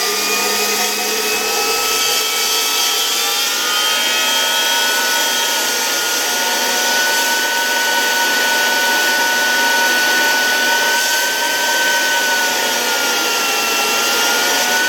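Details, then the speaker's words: 1973 Zelmer 01A vacuum cleaner, type 34 commutator suction motor, test run during disassembly: steady high electric whine with a faint scraping friction; the turbine is suspected of rubbing its housing rather than the motor bearings. "I can hear such distinct friction, but I have the impression that it is more the turbine rubbing against the housing than the motor bearings."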